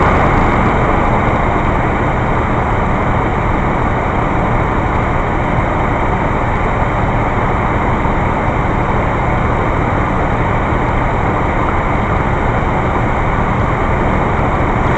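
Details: 1980 Ford F350 351 Windsor V8 after installing a new 2150 carburetor, unused vacuum lines and worn manifold plate pipes plugged, carb not yet adjusted: deep steady idle, even low rumble, no misses, knocks or hunting; healthy.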